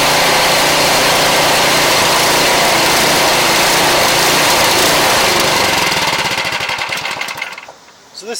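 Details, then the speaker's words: Craftsman 179cc 24-inch two-stage snow blower, model 247.881721: small engine runs steady and loud, then sags and drops before picking back up, persisting after warm-up; engine surging, cause suspected, not confirmed. "surges so look the person who's trying to talk to me was trying to mask it tell me that the engine needs to warm up"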